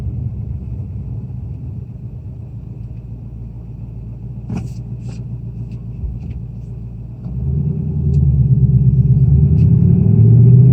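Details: 2018 Mustang GT Performance Package Level 2 (S550 Coyote V8) cold start: rumbling idle with a quick light rattle about three per second rising with revs; owner suspects piston slap, says not the HPFP; cold-start engine rattle.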